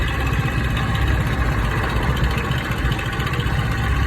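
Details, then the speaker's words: Motorcycle idling with fast, light metallic clatter over the engine beat from a slack timing chain; fix is removing the 14 bolt under the engine and taking out the spring. "روپے لگا کر اپنی بائک کی ٹائمنگ چین کی آواز کو ختم کریں۔"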